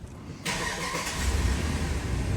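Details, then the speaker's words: Ram 1500 5.7, a comeback for repeatedly melting ignition coils, started after the repair: quick catch after a brief crank, then a steady, even idle with no popping at the tailpipe; normal start, no misfires. "my goodness, no misfires. Just to prove it, we're gonna go over here to tailpipe, and you remember from my last videos, I taught y'all how to detect misfires."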